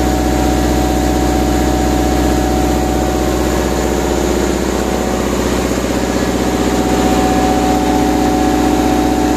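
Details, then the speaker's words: Lincoln Vantage 500 engine-driven welder, maintained with filters changed, idles steadily about thirteen seconds then dies and coasts to a stop; fuel and oil-pressure checks considered. "हमारे इस Lincoln vantage 500 motor tiller में खराबी है जिसे हम चालू करते हैं और यह कुछ ही सेकंड में बंद हो जाता है"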